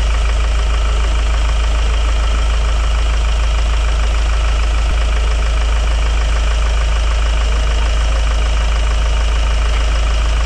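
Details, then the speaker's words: Hyundai Grand Starex diesel idling after the repair. The clatter is even, and the earlier ear-piercing humming and grinding are gone, so the noise is solved. "solve na ang ingay mga boss wala na yung masakit sa tenga na umuugong o grinding sounds"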